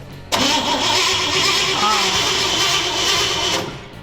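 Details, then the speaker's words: Barn find parked for decades, old-fashioned coil ignition: starter churns evenly about three seconds but never catches; no spark despite points flashing with 12 V and ground, pointing to a faulty coil needing replacement. "we know that the two main components are working but we have no spark and that points to the coil so we'll have to remove that and get one and and fix it"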